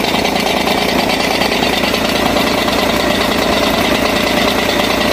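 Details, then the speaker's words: VW Tiguan 2.0 diesel automatic 4WD idling, recorded close to the gearbox: a busy, uneven metallic rattle from a failed dual-mass flywheel, which was replaced with a new one. "Yaptığımız incelemelerde aracın volantının arızalı olduğunu tespit ettik."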